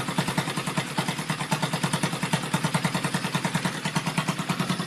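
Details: Yamaha Vega (Crypton) engine freshly rebuilt after machining, bench-run without frame, idling: rapid even clatter about three ticks a second over the single's beat from the top of the engine; clutch side and left side quiet, faulty balancer gear noise as the builder suspected.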